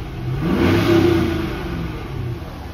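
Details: 2013 Chevrolet Camaro SS, 6.2 LS3 V8, 6L80 automatic, 79,157 miles, stock: V8 blips up smoothly and settles to a steady, even idle with no ticking or knocking; engine sounds healthy.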